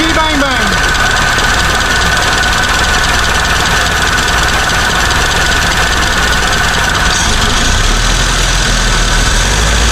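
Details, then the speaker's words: 1975 Chevy Vega started after sitting for years, running on a makeshift external gas tank: it catches on the first crank and settles into an uneven, lumpy idle with a faint knock. Rough idle. "Guess we'll spin it over and see what it does. Guess fingers crossed. Start sound a little rough."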